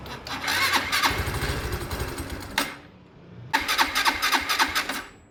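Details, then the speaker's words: Sinnis Harrier motorcycle, 29,000 miles, carb cleaned and new spark plug fitted: two long cranking bursts with brief catches that never settle to idle; hard starting attributed to valve clearances out of spec when cold, just in spec warm; valves to be set. "Valves, definitely valves, because they're not in spec when cold. When it's warmed up a bit, they just about get in spec."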